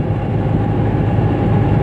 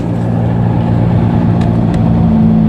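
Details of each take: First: Toyota Etios on a level highway after wheel bearing replacement: steady low road rumble with the earlier humming drone gone. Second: Toyota Etios driven on a level road: a low steady humming drone under road noise at highway speeds, seemingly from the front right, from a worn wheel bearing.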